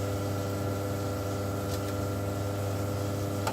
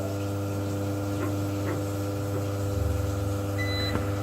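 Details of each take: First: Force FX 2200 UPS back on mains line mode powering gas water heater controller; steady low hum with even overtones, no buzzing, clicking or beeps; normal operation on mains power. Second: Force FX 2200 UPS on battery backup running gas water heater controller during mains outage; constant low electrical hum and buzz with faint ticking and brief beep, heater still gives hot water; UPS buzzing on battery, cause unknown.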